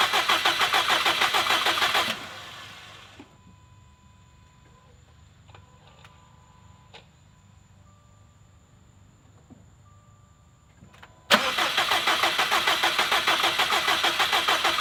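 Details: 2017 Subaru STI first start after engine swap, base map loaded, fuel pressure reading low at the regulator: fires with a busy roar for two seconds, dies to near silence, then roars briefly; starts then stalls, won't restart.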